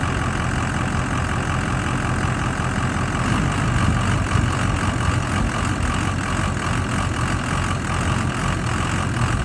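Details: 6.0 diesel at idle after two oil changes with RevX: heavy clatter with a slightly uneven, lumpy beat; rough idle improved but still present, cause not pinned down.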